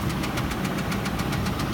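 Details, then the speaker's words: Ford Expedition V8 running with sharp, regular knocking about six times a second from a spun rod bearing; coil and injector on that cylinder were unplugged, engine shakes, check engine light on; engine replacement needed, not bearings. "this is what it sounds like if your car is doing this you have to replace the engine you need an engine"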